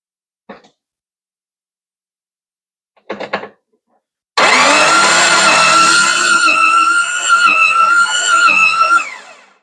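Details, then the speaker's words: 1993 Jeep Wrangler with a 1998 4.0 L engine swapped in, crank wire just moved on the bulkhead connector: starter spins it fast and light, about three beats a second; low compression suspected, stuck valves to be checked. "That is not a whole lot of compression. Not that these 4 liters are like 14-to-1 race engines, but I expect it to sound a little more like it's actually trying to move some air than that."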